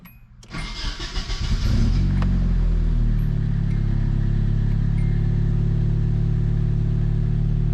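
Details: 240 started after a newly installed oil temp sensor, to check for leaks. The owner thinks the earlier turbo blew from a worn thrust bearing caused by surge with no blow-off valve. Brief crank, catches within a second, flares up, then settles to a smooth idle; starts healthy.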